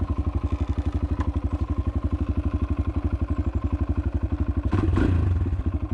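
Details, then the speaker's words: 2018 Kawasaki KLX140L pit bike, finished build dialed in, started from fully cold on choke: steady, even low single-cylinder thumping at idle with no smoke, ticking, knocking or misses; normal healthy idle. "Oh yeah. That's what I like to see. No smoke. no ticking. Sounds good."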